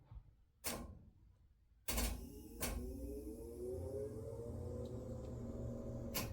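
A few sharp clicks, then a steady hiss of water rushing through with a faint rising tone; the valve is opening and water flows normally.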